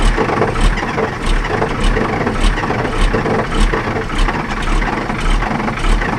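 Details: 1984 Ford L8000 with Caterpillar 3208 diesel, unrun for 3–4 years, fuel system primed: catches and settles into a smooth idle of steady even pulses, about 100 per minute; starts and runs cleanly.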